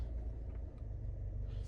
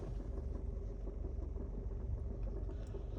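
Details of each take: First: 2018 Nissan Altima SR after replacing passenger-side engine mount: steady smooth low engine rumble in drive and reverse, previous rattle from under glovebox/dashboard gone. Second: 2018 Nissan Altima SR at idle: low rumble with loose irregular rattle-knock once or twice a second heard from passenger side under glovebox, worse in reverse; cause is worn passenger-side engine mount.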